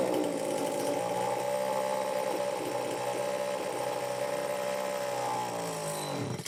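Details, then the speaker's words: Homelite XL-903 chainsaw after carburetor work, stiff fuel hose possibly not letting filter sit in fuel: buzzes unevenly a few seconds then fades and dies; won't run on low speed circuit, lean fuel starvation. "I don't know, folks. Looks like it won't run on that low speed circuit at all."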